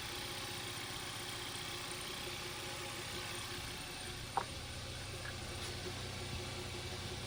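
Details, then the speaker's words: 2012 Hyundai Veloster 1.6 turbo (G4FJ, manual), first run after teardown and rebuild for a knocking noise: quiet, even idle with a smooth low hum and no ticking or knocking. Normal idle. "but so far so good the first starting is good and I'm really happy with that sound"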